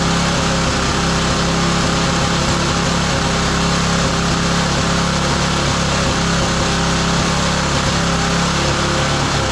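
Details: Roadside-found lawn mower engine for the Tommy Gun mini bike (carburetor may need replacing): steady, even buzz at constant pitch, no misses or surging; running smoothly.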